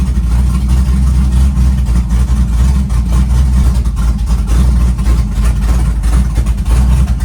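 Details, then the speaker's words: Chevy truck with freshly built LS-swapped big-cam V8, started at 75° coolant temp, 65–75 psi oil pressure at idle: deep loping idle with rhythmic big-cam lope, no knock or tick; engine healthy. "But as far as the engine and the way it's running, we're good."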